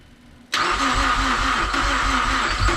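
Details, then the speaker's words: Built Mazdaspeed6 first start after high-pressure fuel pump rebuild: slow heavy thudding cranking about four turns a second, labouring and never catching; sounds like a low battery. Cause suspected, not confirmed. "now every every turn is a thud yes so it's a heavy thud thud it almost just sounds like the battery's low"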